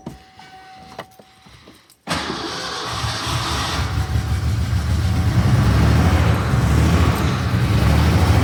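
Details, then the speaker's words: Ford Bronco II engine with no exhaust or manifolds, just after the O2 sensor was fitted, with a fuel leak and leaking valve cover gaskets. It fires into a lumpy, uneven beat of about three pulses a second; rough running, possibly partly from the fuel leak. "Running really bad, which partially could be from the fuel leak and the fact that it's dumping everything down there."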